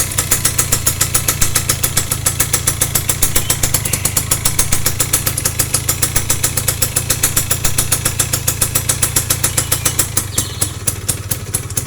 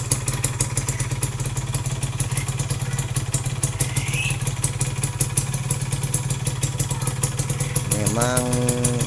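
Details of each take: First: Yamaha F1ZR motorcycle at idle: fast, steady clatter about three to four beats a second, a rough rattle from the clutch area; clutch rubber dampers suspected worn or loose, checked before disassembly, not yet confirmed. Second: Yamaha F1ZR two-stroke single idling after clutch-side rough-noise repair: quick even popping with light mechanical clatter and a brief blip, running acceptably; some roughness remains, attributed to worn rubber.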